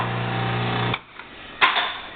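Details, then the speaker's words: 1/2 HP tool grinder: motor hums smooth and steady about a second, then switches off and coasts down quietly; spindle turns fine, runs normally. "And the spindle does turn. Turns fine. All the other functions operate very nicely on here."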